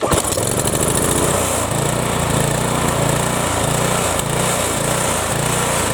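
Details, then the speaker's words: Briggs & Stratton 7.75 Ready Start mower engine with a good governor, spring on a straight tab; choppy idle hunting about twice a second, slight surge, probably a carburettor problem rather than the governor. "now it surges a little bit because there's probably something wrong with the carburettor but that's not what we're focusing on we're focusing on the governor"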